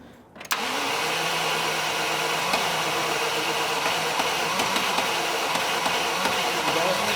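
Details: 1986 Range Rover after the fuel pump was confirmed delivering fuel and the pressure-sensor hose reconnected. A brief crank, then it catches at once and settles into a steady, even run with no stumbling; a clean start.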